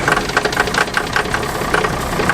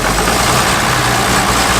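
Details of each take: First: Abandoned John Deere 6600 combine, cranking on ether: steady starter cranking with rapid ticking and a few weak puffs, never picks up. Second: Abandoned John Deere 6600 combine diesel first start after getting fuel to the injectors: catches and settles into a steady, even rumble with no knocks or misses; runs healthy.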